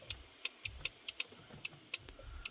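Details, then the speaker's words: 2010 Hyundai i10 with no horn, horn pressed: sharp relay clicks about four a second with no horn tone at all; the relay switches but the horn doesn't sound. "definitely got a clicking it's a bit awkward with a phone in me hand as well um I don't know what that's going to be looking at hopefully somewhere where I am I'm going to see if I can feel which one one of these relays is actually clicking"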